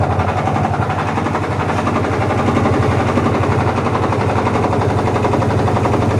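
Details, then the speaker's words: Washing machine spin-dryer motor running with a loud, harsh rattling roar, indicating a faulty, likely broken motor mounting spring (foot) that should be replaced. "Oke teman-teman jika kalian mendengarkan bunyi bising seperti yang kita dengar tadi itu di mesin yang ada di belakang saya ini berarti itu menandakan salah satu daripada kaki dia punya spring penahan motor berarti itu ada yang bermasalah atau dengan kata lain kemungkinan ada yang patah teman-teman"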